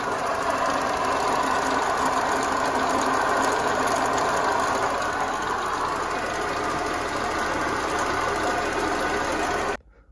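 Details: Toyota Soluna, started after sitting a week: steady idle with harsh, rough whirring and uneven beat near 200 per minute from the drive belt area; noisy accessory, cause unclear.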